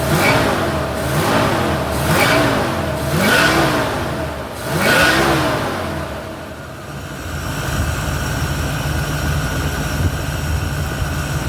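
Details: 1971 Ford Torino, rebuilt 302 V8 with C4, after slight carburetor idle mixture tweak (was a little lean): four quick crisp blips rise and fall cleanly, then steady even idle, no misses or stumbles; revs and idles clean.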